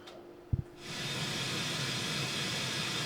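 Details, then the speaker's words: 1974 Hacker Super Sovereign RP75-MB transistor radio under restoration, on bench supply drawing 0.03 A: click at switch-on, then steady even FM interstation hiss with no crackle or hum; FM section working normally. "and it's making the appropriate noises on FM, and yeah, it's only drawing 0.03 of an amp, so fairly efficient."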